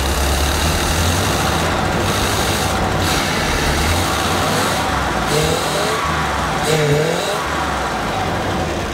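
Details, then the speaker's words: 454 V8 in an old motorhome chassis for a 1955 Chevy COE build, first run, injectors likely dirty, service engine soon light on, valve train audible at start; revs with deep even roar – normal running, no knocking. "Make sure my harness doesn't hit the air conditioner there. louder sounds good. No knocking."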